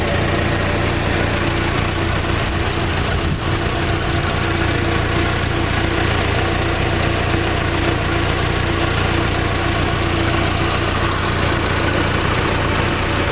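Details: Fiat Palio 2010 1.4 8V Fire four-cylinder, in for a tec-tec engine noise, warm after coolant flush work: steady, even idle with no tapping over the low hum; normal, healthy idle.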